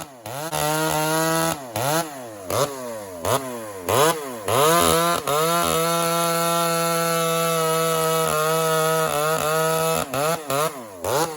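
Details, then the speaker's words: Chainsaw cut before rakers were filed; revs high then sags and barks, borderline four-stroking in the cut, which shouldn't happen with this saw; bogging from unfiled, too-high rakers. "So it's not right. I can feel it instantly. It's borderline 4-stroke in the cut. Can you hear it doing the little barking? So that shouldn't happen, especially with that power saw."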